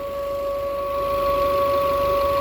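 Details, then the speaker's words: Car engine, normally very quiet and trouble-free, after the CNG fuel was shut off: a steady mid-pitched hum over a quiet idle, unchanging; owner says this hum is a defect. "Esse zumbido que vocês estão escutando é algum defeito."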